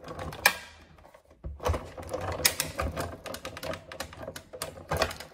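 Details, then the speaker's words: Sizzix Big Shot hand die-cutting machine cutting pattern paper with a Bigz Birdhouse die: irregular sharp crackles over a low crank rumble, normal sound of the blade hitting material and cutting pad. "you hear the crackling of the machine it doesn't ruin your machine or the cutting pads just letting you know the blade is hitting the material and hitting the cutting pad"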